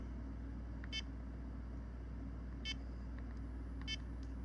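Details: Garmin eTrex 20 GPS after repairing worn buttons with an eraser and tape: three crisp, high beeps about a second apart over a low room hum, with the buttons registering. Normal button beep.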